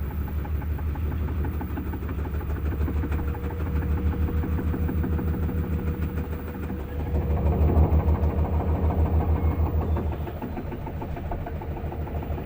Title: faulty drum making noise